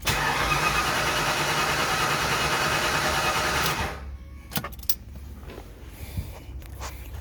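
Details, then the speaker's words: Mustang engine first start attempt, intake reinstalled: even starter churning about three turns a second for four seconds, never fires; cranks but no start, cause still to be troubleshot. "that's a fail for us right now guys but it's okay I'm gonna go troubleshoot this I'll be back"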